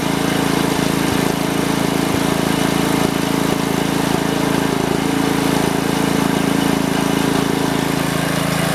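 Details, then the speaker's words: 1971 '110' single-cylinder tractor runs at a steady, even beat with no snapping or misfire after fixing a rubbing spark plug wire that was falling apart; the wire still needs replacing and some adjusting remains. "It's gonna need a new spark plug wire, but it's running. I don't hear it anymore."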